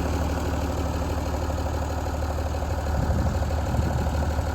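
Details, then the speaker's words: 1975 White 2-150 tractor, diesel, revived after 19 years dormant: steady, even low idle chug at about three beats a second with no misses or knocks; running quite well, with the breather breathing a little as normal. "so it's actually running quite well there look they don't take too much notice of the Breather they do breathe a little bit at the best of times"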